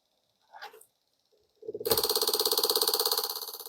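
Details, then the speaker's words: Front-wheel-drive car's ABS module on a bench tester after repair: TCS (traction control) valve, whose one side was faintly quieter before and blamed for brake locking, now gives crisp fast even chatter, about three clicks a second; locking fault judged fixed. "자, 소리가 잘 들립니다. 자, 이렇게 소리가 잘 들리면은 잠김 현상은 해결됐다는 뜻입니다."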